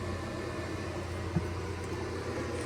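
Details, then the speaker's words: Old 2200 W Giandel inverter on owner's battery bank running a 900 W microwave heating water for 30 seconds; battery voltage drops slightly; steady airy whoosh and low hum as inverter cooling fans kick on; normal cooling fan operation under load. "Voltage drops down a little bit. Six. The hear the fans kicking on."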